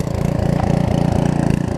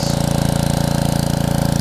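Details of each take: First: Karcher pressure washer with 6.5 hp Briggs engine and new carburettor, after long non-use, running a couple of minutes; single-cylinder putter rising and sagging unevenly at idle; idle surging. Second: Karcher pressure washer, 6.5hp Briggs & Stratton engine with new carburetor, after long non-use, trigger pulled under load; fast even beat, tone changes, no surging, steady healthy normal running under load despite surging at idle.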